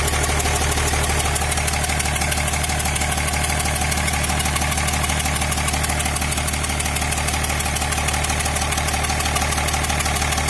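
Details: Diesel engine at idle: sharp, steady knock about three times a second over a low rumble; replacing the 6th injector did not help.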